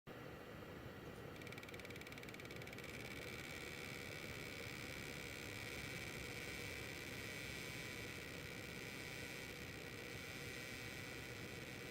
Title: Weird noise from Zotac 1080 AMP Edition